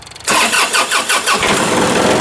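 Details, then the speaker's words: John Deere 2032R in cold weather with suspected fuel delivery issue, possibly tank debris: several slow cranking pulses before it catches and settles into fast idle; slow cranking start, slower than before, cause unconfirmed. "that even started slower than it does did before well that's not good"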